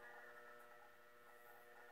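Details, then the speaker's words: 1941 Philco 41-285 console radio on low voltage via Variac (60–90 V), 84 rectifier lit, nothing tuned yet: faint steady low buzz with fixed tones, no program audio; mains hum, suspected from the Variac, not confirmed. "please remember if I do get sound that this varia puts a lot of noise into the radio so we're likely to hear some buzzing from that"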